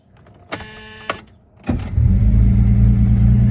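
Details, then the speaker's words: 1973 Mercedes after swapping to a new carburetor, coolant at temperature, started in neutral: starter catches and engine settles into a strong, even low rumble holding steady; carb properly tuned. "That is what I call a proper tune. Okay. Didn't even have to break out the flathead for that one."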